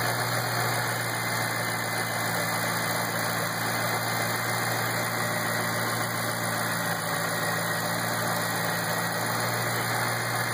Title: '08 GT500 ticking noise - bad belt?